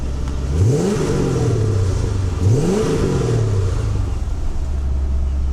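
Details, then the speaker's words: Mercedes W126 560SEL V8 after fuel distributor repair and engine rebuild, no carbon, good compression, no oil consumption; idle about 960 rpm (tach reads 1200). Two quick, clean blips, revs climb and drop smoothly with no misses or knocks; normal revving. "马力10几，转速提速相当快，这应该感谢这个车主，他花了这个引擎大修的钱是没有白费的完全都没有积碳，缸压又那么漂亮，而且又没有吃机油。"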